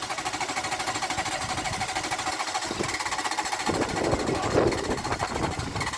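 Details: Renault Clio engine in a destruction test, oil drained after a dish-soap flush, no oil or water, leaking, restarted on hairspray with a fresh battery: ragged, uneven clatter with harsh metallic rattles over a fast uneven beat.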